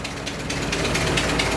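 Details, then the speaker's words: 100-year-old 1924 Dodge truck engine idling after restart, no smoke, slight oil drip: fast, sharp ratchet-like ticking over a rough idle; exhaust leak. "yeah this thing ain't smoking at all huh yeah definitely got exhaust leak"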